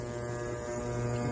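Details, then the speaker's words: Ultrasonic cleaner on its highest 480-second setting, cleaning a 2-stroke auger carburetor in a bag of parts-cleaner fluid submerged in water: faint, even low hum with no rattles or surges; running normally. "okay i'll come back with the results example it's running you can hardly hear it but it's running"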